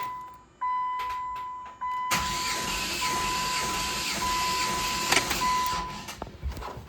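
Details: Normal cranking during a compression test 1,000 miles after an engine rebuild, plug out and ASD fuse back in: starter whine then steady, even cranking whirr; the cylinder reads 200 psi.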